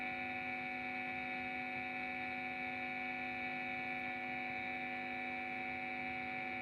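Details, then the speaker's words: Guitar effect pedal powered by a TP-Link adapter measuring about 9.17 V output: steady fixed-pitch buzzing mains hum from the adapter, which lessens when the adapter is pressed. "Itu mengeluarkan suara, lho. Bunyinya mendengung."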